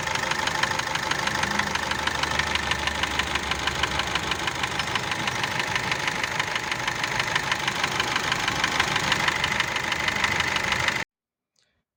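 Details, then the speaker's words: Gazelle with Cummins ISF 2.8 diesel, rebuilt about 18 months earlier: sharp, even knock about three per second over the idle; most likely a torn skirt on one piston slapping. "тут будет скорее всего разодранная юбка одного из поршней теперь объясню дополнительно что вот какие стуки на этом моторе могут быть и с чем они могут быть связаны"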